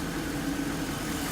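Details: 2007 Mercedes-Benz GL450 V8 after oil filter housing gasket replacement for front driver-side oil leak, warm with heat working: even, steady idle, constant low hum, no knocks, misses or surging; housing clean and dry, normal idle.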